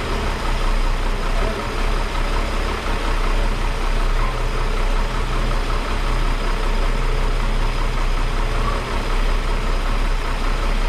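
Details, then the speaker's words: 1961 Ford Falcon Delivery, choke used cold, after exhaust fix, oil change and wiring work; deep even idle rumble with steady low throb, no knocks, misses or exhaust ticks; motor sounds better. "she's putting that motor definitely sounds better guys i'm very happy about that right there"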